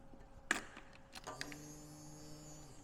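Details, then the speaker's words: Ducati 748 with ignition switched on after battery reconnected and alarm silenced: a couple of clicks, then a low electric hum for about a second and a half as the fuel pump primes in the tank (tank currently empty); normal priming, good news. "And the bike is turned on. I can hear the fuel pump priming in the tank and that is good news."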